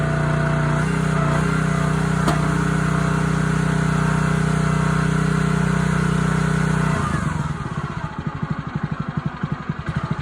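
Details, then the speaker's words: Honda GX160 on a SplitFire wood splitter after carb cleaning and oil change for bogging and stalling when splitting, test-splitting hardwood: steady, even note holding speed under load, then easing into a slower regular chuff without stumbling; healthy running. "Make sure it's evening out. Cutting not acting strange."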